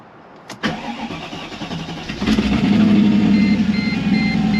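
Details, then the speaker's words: Mercedes C55 AMG V8, first cold start after intake manifold install, long crank for fuel: catches then idles lumpy and hunting; rough running because the MAP sensor was left unplugged. "that was weird well you guys I forgot to plug the map in let's try that"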